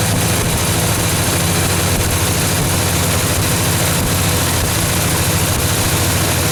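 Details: 1978 Chevy K30 Scottsdale truck, 350ci V8, first start after sitting 4 years: deep, steady idle with an even low burble and no knocks or misses, settling fine; alternator charging 15 volts, some smoke on one side.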